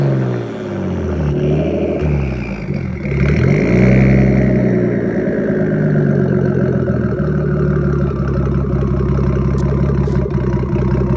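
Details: 1993 Nissan Skyline GTS-T, RB-series turbo six with MaxpeedingRods turbo at 15 psi, no tune, recorded from the back: smooth rev settling to steady idle without misses or rattles; normal idle and revving (dirty idle air control valve sometimes nearly stalls).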